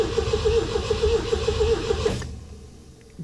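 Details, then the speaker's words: 1975 MGB that sat about 16 years, in neutral with clutch in, first start attempt: steady starter cranking about two turns a second building oil pressure, no firing, then stops; cranks but no start. "okay that's neutral clutch is in moment of truth she cranks it's building oil pressure"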